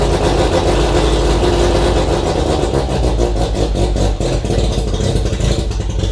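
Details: Mazda RX-7 FC3S rotary on Haltech Elite 1500 ECU, cold start, no idle air control (BAC) valve fitted: loud uneven running that only holds revs with lots of throttle; needs an idle air control valve.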